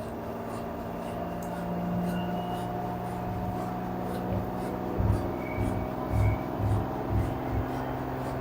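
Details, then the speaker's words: LG F4V5RGP2T washer under one year old, empty drum, quick test mode spinning up toward about 1370–1400 rpm: smooth low hum building with speed, a few soft thumps, no bearing, shaft or drum noise; normal spin. "No any abnormal noise from the bearing, shaft, drum, everything perfect. Now you can see it is increasing RPM."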